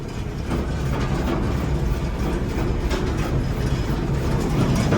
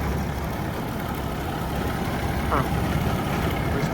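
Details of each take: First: Gleaner combine at auction, separator running: heavy low rumble with an uneven rattle building as it comes up to speed; a little noisy and wobbly but turning properly, motor quiet. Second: Gleaner combine at farm auction, engine running: low steady diesel rumble, no knocks or ticks, slightly wobbly but all turning as it should; motor quiet, normal running.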